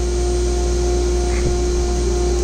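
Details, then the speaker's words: Zenbot 4896 CNC with new spindle and dust collector, one-inch cutter spooled to 24,000 rpm: clean, constant high spindle whine over low shop rumble, no wavering or grinding; normal healthy spindle run. "so you can hear the spindle spooling up sounds like it's just about there and we're running a one-inch cutter at 24,000 rpm"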